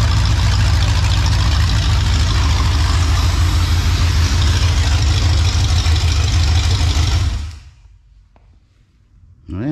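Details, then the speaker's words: Ford 302 V8 idling smoothly with a steady low rumble and even beat, no shake or knock, then switched off, after refitting the bellhousing and starter to cure a bellhousing vibration blamed on a cheap flywheel; shaking gone, antifreeze now leaking. "i'll figure it out at least i said at least the shaking is gone"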